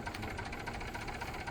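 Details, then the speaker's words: Maruti Swift Dzire diesel with smoke and hard cold-morning starts needing a push or a petrol smell to start: an uneven, lumpy idle that misses beats, with shaking and heavy engine vibration. It is a full misfire from a blown head gasket. "ನೋಡ್ಬೋದು ಗಾಡಿ start ಮಾಡಿದರೆ vibration ನೋಡಿ, engine ಒಳಗಡೆ vibration ಏನು ಲೆಕ್ಕಾಚಾರ ಬರ್ತಿದೆ ಅಂದರೆ full missing ಇದೆ ಈ ಗಾಡಿ ಒಳಗಡೆ."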